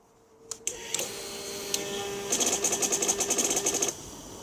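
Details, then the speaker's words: 2006 (K6) Suzuki GSX-R600 won't start, FI codes C13, C14, C15, C21, C22, C23, C29, C31, in dealer mode, TPS reading low, battery and fuses good: key-on fast high-pitched rattling whirr about 1.5 s, no firing; owner told ECU may be fried. "i have no idea what this is and it just will not start so if anyone has any idea what what it is just let me know"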